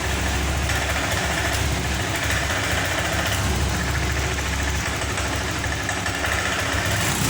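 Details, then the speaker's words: Honda Vario 125 FI with stumbling (brebet): the engine runs rough and uneven and its revs won't climb whether the throttle is opened suddenly or slowly. Cause not yet found. "Jika digas spontan ataupun perlahan, motor ini gasnya tidak mau naik, maks"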